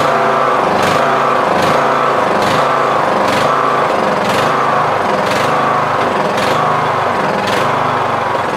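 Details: Yard Machines MTD lawn tractor, 20HP Briggs Intek, 46" deck, Nikki carb: engine note rises and sags about once a second, hunting steadily. Surge; mixture screw broken so cannot adjust.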